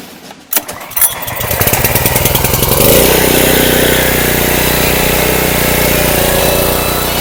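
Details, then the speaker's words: Subaru small engine on a pressure washer, started after gas tank leak near the cap and neck was temporarily sealed with Flex Seal; a few pulls, then catches and settles to a steady even putt about four beats a second, no misses. Normal running. "I'll probably end up trying to find me a new gas tank cuz the engine runs great now"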